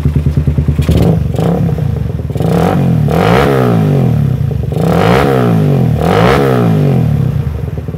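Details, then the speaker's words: Suzuki Satria FU motorcycle after removing the exhaust camshaft decompressor: bassy idle then clean throttle revs, the earlier tek-tek ticking now gone. "Tadinya ini ada suara tek tek tek tek tek gitu ya di sini ini disini tadinya ada suara teketek Karena dekompresi sekarang nggak ada suara tek tek tek"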